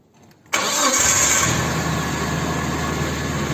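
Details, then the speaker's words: Rebuilt Nissan KA24DE engine, first start after repair with fuel injection and distributor connected: the starter whirrs briefly, then the engine catches cleanly and settles into a steady, even idle with no knocks or misses. "and it turned on it sounds good like pain"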